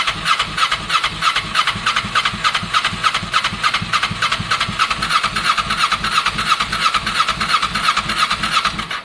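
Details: Kawasaki ER6n project bike, first start-up attempt on a borrowed new battery with old fuel in the lines: starter cranks evenly about three turns a second, never fires. Crank no start; owner thinks he hears spark, plans to add fuel, cause unconfirmed.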